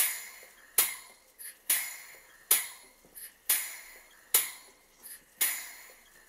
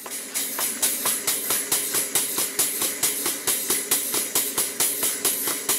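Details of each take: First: Model 12-inch Southworth steam pump with burner gas turned off so only the engine is heard: sharp metallic ticks just over once a second, evenly spaced, shuttle working normally. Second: Model 12-inch Southworth steam pump, now running after shuttle piston pushed to bottom of stroke: even puffing about 136 strokes a minute over a constant sharp hiss, lots of steam leaking from the bottom steam-cylinder gland, an easy fix.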